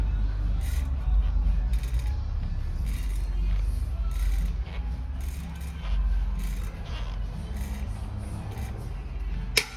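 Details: Hydra 2 bicycle hubs with under 40 miles: even freewheel ticking over a low rumble, then one sharp crack at one spot as torque is applied; loud hub noise under load, cause unknown.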